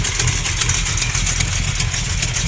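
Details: Small-block Mopar 360 V8 with an XE268H cam, KB107 pistons, stock valvetrain, and new lifters and main, cam and rod bearings: rough idle with an uneven knock over the exhaust burble; not an exhaust leak, source unknown.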